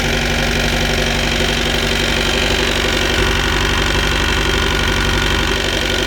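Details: Mercruiser 3.0 with outdrive idling steadily with a loose, regular knock of about three a second from the drive or engine; cause not confirmed.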